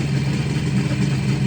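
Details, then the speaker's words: 1969 Kawasaki H1 two-stroke triple, 40,000 miles, sat about 30 years, started with a couple of kicks, air cleaner assembly off, carbs synced: quick, even burble at idle with steady beat, no knocking or misfire; motor sounds pretty good. "Couple of kicks. Ways she goes. And the motor sounds pretty good."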